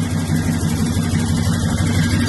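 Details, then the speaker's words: 1973 car with 350 V8 and carburetor, no air cleaner, after fix of sputtering: deep even idle running like a sewing machine, with a faint quick puffing tick from a small exhaust leak. "I hear that exhaust leak. All I hear that exhaust leak now. I done heard it. All I can hear is that exhaust leak."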